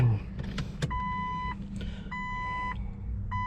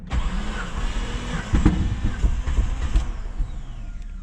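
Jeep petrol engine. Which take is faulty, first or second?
second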